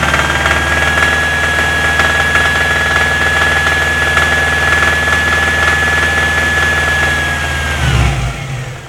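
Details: Subaru Impreza WRX engine: steady fast ticking about four per second over an even engine note with a thin high whistle, most noticeable between 2000 and 2500 rpm; knocking, cause unknown.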